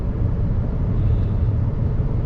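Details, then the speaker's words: 2014 Chevy Cruze 1.4 turbo four-cylinder, just started and not yet warmed up: low, even idle with no misfire yet. It has a cylinder 4 misfire that shows up when warm or in damp weather; a coil pack is suspected. "started up okay so so far we haven't had no misfires but we haven't really got warmed up yet and that's when it seemed to happen"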